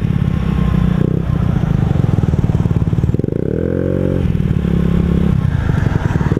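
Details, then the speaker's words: Honda Ruckus scooter after a valve adjustment and tuning attempt, revving too high while riding: the engine holds high, busy revs with a brief extra rise but never drops as a shift would; variator sliders seemingly binding, belt seemingly not traveling. "I am revving at it's like my sliders aren't sliding or something my belt isn't traveling what happened"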